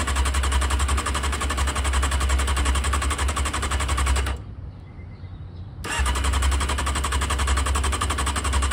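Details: Honda CBR600F2 after carburetor removal, O-ring replacement and reinstall, carbs empty and vacuum-fed: steady fast starter cranking, brief pause, resumes without firing; normal cranking while carbs fill.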